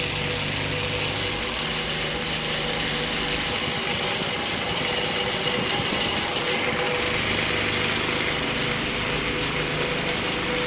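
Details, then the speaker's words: Fan with blades needing a lot of work keeps bouncing around; harsh continuous rattling and buzzing with loose uneven chatter over motor hum; damaged blades shaking the fan violently, owner fears it will fall apart. "I swear this thing is probably gonna fall apart and chop my head off"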